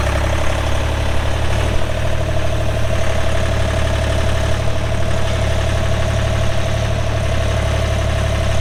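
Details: 2007 Ditch Witch RT40 trencher, 42 HP Deutz diesel (pre-emissions), 1,530 hours, idling: even, deep diesel rumble with a steady drone, no knocks or misses; idling smoothly.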